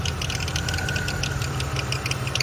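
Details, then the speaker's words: Salvage Cadillac Cimarron at idle: fine rapid ticking and a thin constant whine. The owner is nearly sure it is a bad accessory pulley bearing and plans to confirm with a stethoscope. "all right i've got the old girl home definitely got a bad pulley i think it's the uh"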